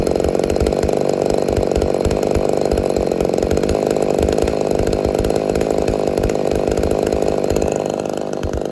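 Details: Ported Homelite Super XL-130 chainsaw, final test run after adjustments for a loose idle screw that turned by itself: steady, even high-rev scream through the cut with no surging or stumbling; healthy running.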